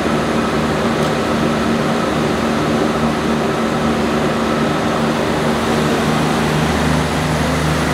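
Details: 1106 diesel generator running smoothly at 100% load after the injection pump droop adjustment that fixed engine hunting and unstable frequency. Constant pitch, no surging or hunting, and speed holds steady.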